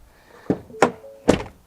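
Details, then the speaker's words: Driver's door of a 2023 Ford e-Transit electric van, 18 months old with 1,266 miles. The door shuts with a dull thunk, then a second rattle the passenger door lacks. It also rattles while driving, less with the window down. The owner suspects the window rails. "there's a bit of a second rattle when that slams which I don't think the passenger door is doing"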